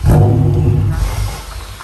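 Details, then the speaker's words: BMW E39 M5 with a Walbro 450 fuel pump (third fitting attempt) and a ribbed hose from an N54 pressure regulator, cranked in gear while being pushed uphill: it fires briefly on the starter and dies within seconds, from fuel pressure loss. "I'm going to put it on charge and shut the garage up, I think. Oh man, fuel pressure problems."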